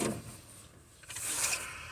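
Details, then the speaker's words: Engine being rebuilt in the car, with a valve cover and the distributor loose, turned slowly by hand at the fan: one soft hissing puff as a cylinder pushes air out on its stroke. Normal cranking compression is present. "Now, I want you to listen carefully because this does have compression when I'm turning it by fan."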